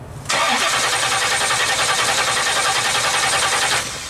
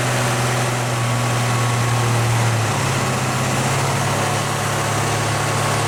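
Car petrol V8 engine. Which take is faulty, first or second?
first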